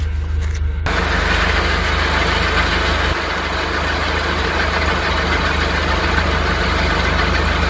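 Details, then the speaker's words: Nissan Platina at idle: dull whirring grind appears when clutch pedal is pressed; failing clutch release bearing (collarín), could seize; full clutch kit replacement advised. "Y bueno, si ya comienzan a tener este sonido, lo mejor será cambiar el kit de clutch completo y no solamente el collarín, para que tengamos un mejor funcionamiento."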